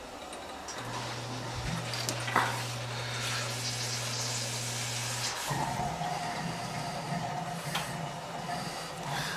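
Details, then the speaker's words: Old farmhouse hydronic heating, end zone purged after frozen pipe repair and refill: short steady hum, then steady hiss with uneven bubbling and gurgling as a lot of trapped air rushes out. "This end one here has got a lot of air. You can hear it. You can hear it rushing through."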